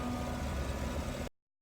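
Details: 2014-17 GMC Sierra after a fix for rough idle and surging rpm: short burst of steady, even idle with low hum, no surging or stumbling; normal idle.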